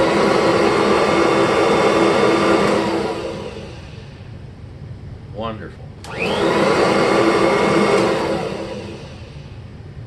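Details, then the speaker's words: 1988 Kirby Heritage II Legend with new motor bearings and brushroll spinning, a bearing-check sound reference. Hum fades smoothly as it coasts down, then snaps back with a clean rising whine; fast, even and quiet wind-up and wind-down, healthy bearings. "and fast both winding up and winding down and of course totally smooth because that's what new bearings gives you"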